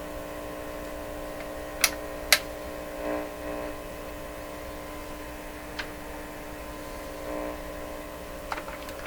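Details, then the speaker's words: Johnson Messenger CB radio during receiver IF alignment (455 kHz), with the signal generator fed into the antenna input: a steady low hum under faint static, with a few clicks. The hum is traced to a loose meter clip lead picking up mains. "okay something not quite right here shouldn't it really here hum like this why is that"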